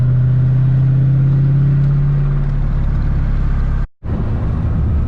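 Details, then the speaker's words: Junkyard GM 5.3 LS V8 in a 300ZX, driving on road: deep drone with loose uneven knock about three per second, absent at low speed, appearing under light throttle; owner suspects rod knock rather than lifter. "but how it sounds, it definitely sounds like a rod knock to me. So at low speeds I can't hear it, but anytime I give it a little bit of gas, it comes out."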